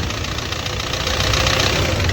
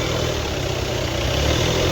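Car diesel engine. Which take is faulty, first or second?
first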